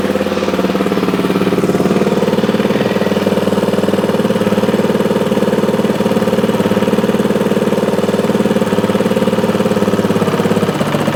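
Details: 2003 Honda XR400 brought in not running, after valve clearance and cam timing checks, started after 365 kicks with idle turned down: steady, even single-cylinder thump with crisp regular valve ticking, no misses or stumbles; normal idle.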